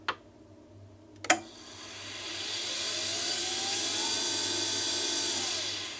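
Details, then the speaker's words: Permobil F3 power wheelchair worm-drive motor run unloaded after brush service (brush housings cleaned); after two clicks it spins up to a smooth, even whirr with a steady hum, no grinding or scraping, healthy; may sound different under load. "it may sound a little bit different under load but uh yeah that's uh basically a brush service on one of these things"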